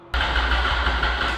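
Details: Wrecked 2004 Yamaha R1 being rebuilt with a new fuel tank: brief sluggish starter churning that spins the engine without it catching, due to a dead battery; after charging, it started and ran.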